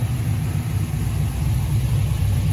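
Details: 1973 Camaro pro-touring LS swap (LS1 with LS6 intake, Holley Terminator X, 228/232 cam) idling: deep, choppy loping V8 beat, even and settled, sounding healthy and warm; normal cammed idle.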